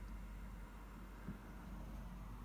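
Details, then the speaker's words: 5 kW Chinese diesel heater heating a home, about 80 hours from new after six days of smoking and stop-start faults, given one more try before dismantling and now fine: low steady rumble, no sputtering or surging; running normally. "before I dismantled it I thought I'd give it one more go and it is now fine"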